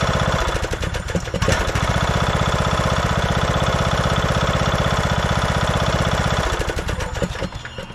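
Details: 2014 Craftsman T1600 lawn tractor, single-cylinder, after bypassing the broken blade safety switch: catches and settles into a steady, even putter of about four beats a second with no misses; normal running.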